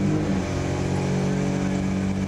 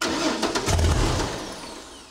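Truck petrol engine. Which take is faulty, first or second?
second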